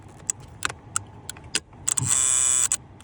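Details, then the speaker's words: 2007 Honda Accord, intermittent: turn-signal ticks with a brief high electrical buzz from the main fuse box under the driver-side kick panel; no trouble codes, combination switch checked; the part is to be replaced. "so right here under the driver side kick panel there's a main fuse box and you can hear it sometimes"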